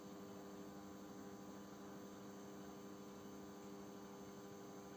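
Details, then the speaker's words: Panasonic NN-GD577M microwave after magnetron replacement (original magnetron failed; oven had cut out or shown an error without heating water), test-heating about 200 g water: steady low hum, faint buzz and fan rush, runs without cutting out; normal operation. "Ну, как видим, печка не отключается, время пошло."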